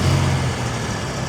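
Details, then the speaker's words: Ford Raptor on cold start, passenger window down, settling after a tiny rev: a loose rattle under the low rumble, more pronounced after the rev, is the turbo wastegate actuator. "it's more pronounced, right? Yeah. Okay, so that's your turbo actuator."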